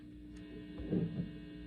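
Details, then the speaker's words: PRS SE humbuckers on high gain after shielding: low steady mains hum with faint buzz, a bit quieter with both pickups in parallel, series wiring slightly buzzier; residual 60-cycle pickup hum. "a little bit of noise there it's high gain but right uh bridge different also a little bit of noise not but not bad both same thing it's a little quieter when both are on in parallel series wiring has a little bit of buzz to it"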